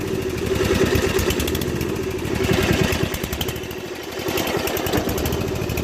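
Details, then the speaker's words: 2001 Murray Select LT riding mower after a summer stored, at high throttle: beat stumbles and sags; it smokes heavily, leaks oil and stalls. Owner feared something blown; cause was a carburetor float needle stuck open from ethanol, gas diluting crankcase oil. "starts but then smokes a ton you know oil smoke and then after it runs for a bit with smoke it quits a lot of oil comes out of here and once it runs for a while it'll quit"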